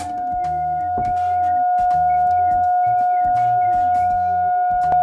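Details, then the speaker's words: Repaired Scuola Radio Elettra SRE 412 modulated oscillator set to BF (fixed low frequency) feeding a Class A laboratory amplifier: clean steady tone around 750 Hz without wavering or dropouts; audio output working, level adjustable via attenuator. "As a final test I connected the modulated oscillator set to BF on this Class A laboratory amplifier, now I power it already set to low frequency,"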